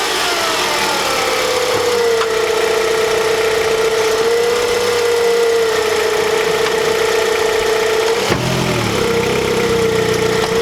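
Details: 2008 Honda CR-V engine, recorded in a before/after check around replacing the lower rear torque mount (a worn one caused violent vibration): smooth, even idle with a steady whirring tone and no knocks or clunks; sounds healthy and settled.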